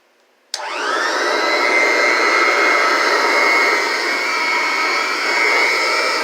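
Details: Vintage Kirby 505 vacuum cleaner with its original motor and a newer replacement fan. Motor spins up in under a second to a steady high whine with a slight buzz. Normal running.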